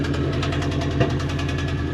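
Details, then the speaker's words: 1988 Mazda four-wheel-drive truck, body dropped, after sitting since purchase: fast choppy idle with occasional uneven beat, still a little misfire though it runs and drives. "Still got a little misfire to it,"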